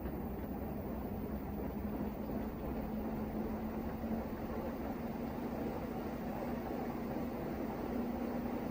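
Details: Brand-new LG washer running with a loud, steady roaring drone and faint hum underneath; repairman says it's normal, cause unclear.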